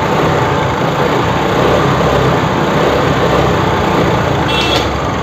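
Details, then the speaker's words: TVS Scooty Pep+ after rewiring a no-spark fault (relay negative joined and the CDI plug wire plugged in): the key-on start catches at once and the small single-cylinder idles evenly without cutting out, a normal idle, and key-off stops it. "சாவி on பண்ணிட்டு start பண்ணால் பக்காவாக start ஆகுது வண்டி."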